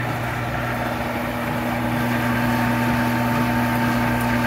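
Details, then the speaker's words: Monarch 10EE lathe after spindle drive and gear train work, at 500 rpm in threading mode: even, steady hum with constant low tones, no knocking or grinding; far quieter than before, slight residual noise of unknown source. "mean you hear a little something in there but it's nothing like the other one all right so i don't know i don't know what it could be but definitely tons quieter"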